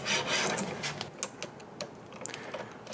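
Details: Knew Concepts marquetry/die saw guide bearings after adjusting them into the middle: soft, even sliding hiss as the guide moves, no gritty chatter; bearings lined up and running smoothly.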